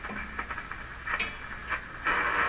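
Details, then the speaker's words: Hallicrafters SX-122 receiver that previously received nothing on any band; the fault turned out to be the operator's own error. Tuning on the 4.8–12 MHz band near 12 MHz at full volume: hiss and crackle with brief station bursts, ending in a strong steady signal. Working again. "she's a working radio sorry I got this wrong got this wrong that's full volume too"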